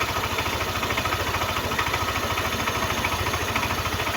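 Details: Yamaha NMAX version 1 that wouldn't start and reportedly stalls, now running; mechanic suspects dust via a non-stock air cleaner reaching the MAP sensor causes stalling: steady, even idle with regular low pulse, no stumbling or misfire.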